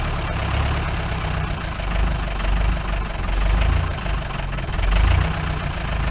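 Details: 1953 Mercedes 170D (W136) four-cylinder diesel, revived after being seized, rough idle with low uneven clatter through the rumble; diesel knock, owner suspects worn injector nozzles and holders, smoke clearing slightly, cause unconfirmed.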